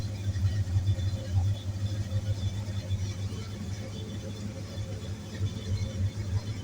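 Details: 1965 Ford Mustang 289ci V8 cold idle after fitting an extra oil pressure sensor: low, steady rumble with an even, lazy pulse, no knocks or ticks; about 50 PSI oil pressure cold, mid-gauge on the original gauge, healthy.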